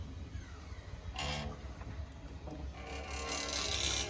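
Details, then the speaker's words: Mercedes-Benz 190 (W201) trunk lid springs after lubrication fixed squeaking on opening and closing: only soft swishes and light thump, no squeak at all. "вот три попытки получилось вышить вообще ничего не слышно"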